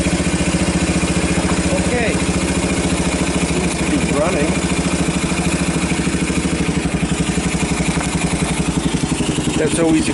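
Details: 1990 Kawasaki Bayou 220 single-cylinder ATV from a junkyard, carb replaced, recoil starter rebuilt, good compression, just cold-started on choke with jump pack: steady even putter about three beats a second, no misses or knocks, charging the battery; normal idle.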